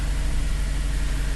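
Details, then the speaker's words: 2000 Toyota Sienna 3.0L V6 idling just after fuel filter replacement, checking for leaks: smooth, deep, steady idle with no knocks, misses or surges; normal idle. "running good now let's see if it's leaking"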